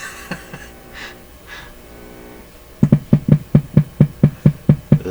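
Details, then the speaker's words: PYE Model 39HC radio (Canadian) at low volume: steady low putt-putt pulses about two a second, a deeper note after the antenna was connected; motorboating low-frequency oscillation, cause still being hunted. "this sounds sound sounds like a bigger engine running now"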